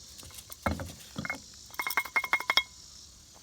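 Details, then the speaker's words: Cub Cadet RZT 50/KW50 mower with a Kawasaki FR691V 23 hp engine: a removed deck spindle spun by hand gives loose, gritty clinks and rattles from broken-up bearings. The owner first heard knocking while mowing, and the spindles are being replaced with greasable ones. "all right welcome back i've got the uh all the all the spindles out of here um this one here you can hear it rattling"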